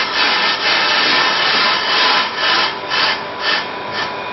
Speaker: Well, you can hear a clear intermittent cutting sound which shows that there is distortion and misalignment on this disc.